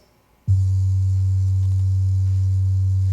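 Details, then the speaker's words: Ford Mustang driver's door factory 5x7 speaker played a 95-96 Hz bass test tone: buzzy rattling vibration, suspected broken plastic or blown tweeter; both front speakers replaced with Kenwood KFC-C5794PS. "it almost sounds like the Tweeter is rattling 96 Cycles"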